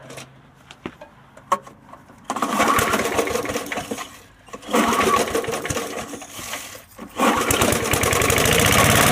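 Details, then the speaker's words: Free curbside Snapper mower engine, pull start: cord ticks, engine catches in short bursts, drops out and catches again, won't hold a steady run; owner suspects a shot carburetor diaphragm, throttle cable possibly not connected. "well I'll wager that that diaphragm in there is shot so it'll need a new diaphragm in order for it to run right but hey it did start so"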